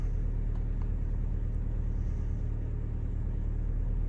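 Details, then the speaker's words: Car idling after cleaning a dirty throttle body with carb cleaner; previously ran rough from starved idle airflow and drained battery; now low, even idle rumble with steady pulse, no hunting or stumble. Normal idle. "so it was just a dirty throttle body to have this car running like new again now it's not running rough it's running happy"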